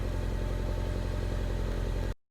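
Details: Mini Cooper R56 N18 cold start: engine catches after repeated attempts and idles with a low, slightly uneven beat before shutting off; no code thrown, owner suspects failing high pressure fuel pump, unconfirmed.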